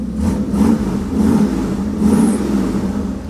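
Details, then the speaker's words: Old Ford, spring cold start: revs rise and fall smoothly a few times over a steady idle, with no knocks or misses, so it sounds good. "Sounds good. Did I just blow exhaust on the door? I did. Whoops. The old Ford sounds good."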